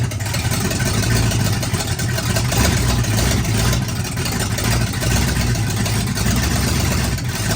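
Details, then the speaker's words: Oldsmobile 400 G big-block V8, sat for a couple of years, first fire-up without coolant: deep, even rumble at steady idle, no stumble, knock or smoke; runs great. "Badass right there. Any questions? I guess it runs good. But no coolant, we can't run it long. There you have it. It runs great. No smoke, no nothing."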